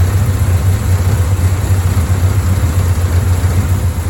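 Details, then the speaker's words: Bel Air rough idle after timing work, aiming for about 1000 rpm idle and 12–15° advance; low, loping, unsteady beat that never settles, won't stay running long enough to adjust; later set 12° at 900 rpm. "and here's the problem can't get it to stay running long enough to adjust"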